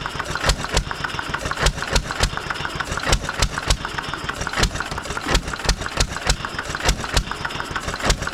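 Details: 1920s Taylor Model B hit-and-miss vacuum engine, long unused, restarted after fuel work, choked to burn old gas; sharp exhaust pops about three a second, uneven spacing over low chug, running properly, steaming in the heat.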